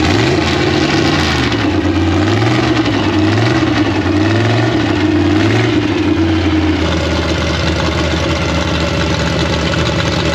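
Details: 1956 Chevy V8 with new Tri-Five headers, start after a year-long rebuild: brief wobble then even lopey idle thump, steady, no misses, timing sounds right.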